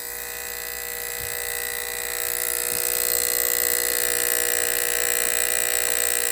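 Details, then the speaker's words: Sanyo DS19330 CRT TV (chassis 19330-01, hot chassis): constant rough clicking/buzz at power-on despite a good picture, from the power relay chattering; a bad capacitor was found, and replacing it stopped the clicking. "This TV had a clicking sound when you turned it on. The picture looked good, but this very annoying clicking sound was still present at all times."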